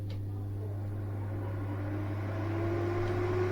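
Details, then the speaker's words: Eurom Sani Fan Heat 2000R bathroom heater just powered on, before heating stage: steady fan whoosh, low even hum, faint rising tone as it spins up; fan running normally but fairly loud. "Yeah, does make a bit of noise. So with this thing running, it would be quite impossible for me to make YouTube videos, or almost impossible."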